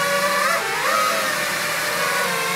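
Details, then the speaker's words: FPV freestyle drone hovering indoors during PID tuning test flight with gains raised: high-pitched warbling trill around one kilohertz over the prop hum; oscillation because gains are way too high, motors slightly warm. "I'm definitely hearing the the trilling oscillation sound is that kind of sound that's yeah gains are way too high"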